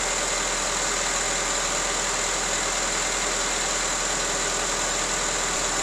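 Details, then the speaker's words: Honda CR-V with intermittent fuel pump relay problem: with relay negative terminal grounded, steady even idle with constant hiss, no stumbles or surging; runs fine, no check engine light, no codes on scan tool. "watch what happens runs fine there's no check engine light there's nothing wrong"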